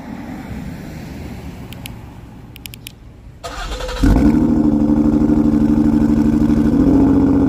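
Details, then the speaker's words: Cold start of a six-cylinder running on five, driven that way for a week; inoperative cylinder 1 injector diagnosed, before repair: catches and settles into an uneven, lumpy idle with a steady stumble. Cylinder misfire. "all right so this is going to be the five cylinder cold start so you can hear what i've been driving around with for the last week"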